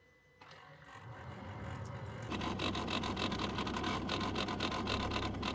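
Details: 2015 Mazda BT-50 climate control actuator behind the dash: rapid rattly clicking and grinding, three to four clicks a second over a low hum, from motor cogs slipping as it fails to find home position.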